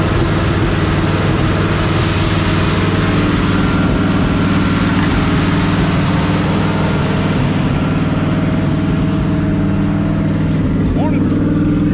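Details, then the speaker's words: 1968 Ford F100/F250 old V8 truck cranked after a suspect rebuild with fuel pumping problems: uneven, lopsided idle with a recurring stumble about twice a second, missing on one cylinder. "War missing on one cylinder teing this old truck ain't too bad"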